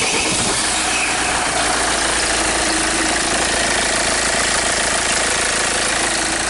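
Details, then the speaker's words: 2010 Kia Sorento 2.2 diesel with hard start/crank-no-start, after injector replacement: harsh loud clatter at idle with uneven choppy knock, like things breaking up; cause unknown. "it's really loud I'm not sure exactly what the noise is about sound like things just like breaking up"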